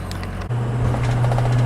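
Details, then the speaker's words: Ford 6.0 Powerstroke diesel driving on the road after an injector failure (it had hard cold starts, cold misfire, low power and turbo bark): a steady low drone with no misses or knocks; normal running. "I hope you can hear it but it's running pretty well just driving down to the DMV today got to register a vehicle"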